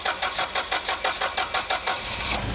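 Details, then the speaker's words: Caterpillar forklift with a hard start, before repair, cranked while brake cleaner is sprayed to find a vacuum leak: rapid, regular cranking pulses about four a second that never catch; long crank, no start, caused by a vacuum leak. "i bet you if we crank it again almost catch us do one more time okay then once they're running keeps on running so this one we're dealing with a vacuum leak"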